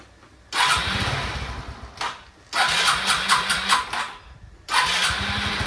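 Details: Suzuki Access scooter: engine catches after cranking, runs briefly and unevenly, dies, restarts; runs only on choke and stalls when choke is lowered, cause found inside the carburetor jet system.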